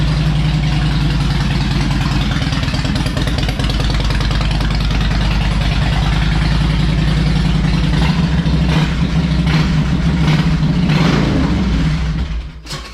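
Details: Harley Electra Glide owned almost five years, after new spark plugs, a cleaned air filter and fresh oil, not yet warmed up: loping V-twin idle about three beats a second with light throttle blips, no popping or misfire; normal idle.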